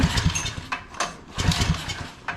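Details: Old barn-find Generac generator, pull-started with gas after long storage: slow, uneven pull-cranking in bursts about half a second apart, turning over without firing; cranks but won't start, cause not confirmed.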